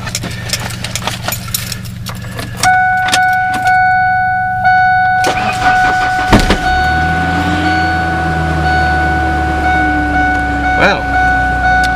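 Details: Ford truck (1996 Ranger or 2000 F150) cold start after 3+ weeks sitting, about 70°F inside: door chime and key jingle, brief crank, engine fires and settles to a steady fast idle; started easily, healthy.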